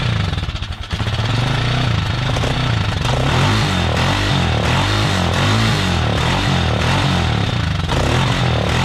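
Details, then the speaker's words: Kawasaki Mojave 250 sat two years, full tank of old fuel, run on starting fluid: steady cranking chug about four beats a second that never catches; fuel starvation, stuck float or clogged carburetor suspected. "you can run stuff on starting fluid for a little and then the carburetor will clear up but we didn't get lucky this time"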